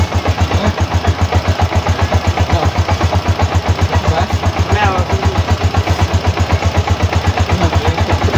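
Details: TMX 125 Alpha motorcycle idling after an aftermarket TMX155 gas tank conversion, seat and side covers reinstalled: single-cylinder putters at a steady, even beat of about four pulses a second, no knocks or squeals; normal healthy idle.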